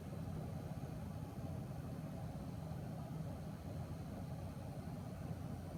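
A steady, low, even buzz with no rhythm or pitch change, the kind of hum a graphics card makes under power.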